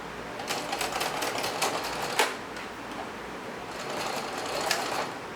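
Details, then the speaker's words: Sewing machine stitching denim after hook and bobbin case cleaning and oiling: rapid steady stitching clatter with a sudden louder clack partway through as the thread snags and bunches underneath; caught in time, stitching continued. "Now let's see what happened down there when it made that noise. I was surprised it ended up stitching. Well, there was a little bit of an issue, but I guess I caught it in time."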